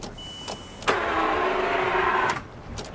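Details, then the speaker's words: L320 Range Rover Sport bought cheap as a non-runner, key turned: brief whirring electric whine with no firing or turning-over rhythm; only the fan moves, engine won't turn over, crank seems to try to spin; cause suspected, not confirmed. "Should have a little key bumps. Yeah, come on. Come on. Just see the fan moving there. But nothing else is moving."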